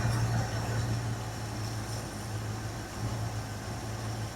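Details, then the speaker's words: 1981 Jeep Wagoneer Limited after sitting 20+ years, first run with oil pressure showing: a quiet, even idle rumble with no ticking or knocking, idling well on its own. "She's quiet, and she's idling good. Might even take her down just a little bit more."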